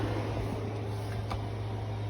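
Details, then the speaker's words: 5,000 BTU window AC powered by an Anker PowerHouse 767 after firmware update, drawing about 384 W; steady low hum and even fan whoosh, no rattles or surges, earlier funny noise gone; normal running. "we're going to turn on the air condition sounds good it's not making that funny noise"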